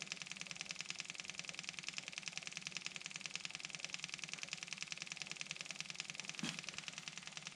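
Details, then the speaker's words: Kubota M6060 tractor at 1500-hour service, engine off, key on: electric lift pump priming the fuel filter after filter change, bleeder screw cracked; steady high buzzing tick about two per second, pump sound changes as filter fills; system has return line to tank. "you hear the sound of that pump change okay we're getting feel up here and where that thing's got a return line on it back to the tank from a first where it's electric pump"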